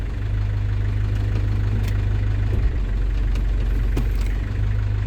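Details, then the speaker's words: London Taxi diesel automatic at operating temperature, fluid topped up after sump gasket renewal: steady even idle, soft low thud as gear goes in; engagement virtually instant and smooth, previously delayed when fluid low; normal. "So that's much better. Virtually instant as I come through the gear now."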